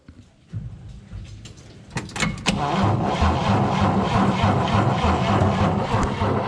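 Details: 1954 Chevrolet 4100 grain truck, 235 inline six, first start in 18 years after sitting in barn: starter cranks evenly and steadily but never catches; dirty ignition points preventing spark, points need cleaning.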